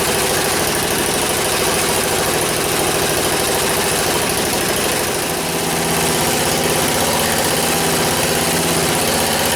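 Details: 1977 MTD 990 16 hp Dayton-badged tractor engine after the points were done, the coil gapped and ignition and starting-system wiring faults fixed: steady, even putter at idle under a light hum, no misses or stumbles, running smoothly.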